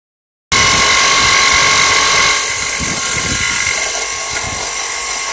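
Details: Subaru Vivio on commute: loud, harsh grinding with steady high whine while the engine still runs, turning to a burning smell; owner suspects a failed rotating part, maybe belt-driven, unconfirmed.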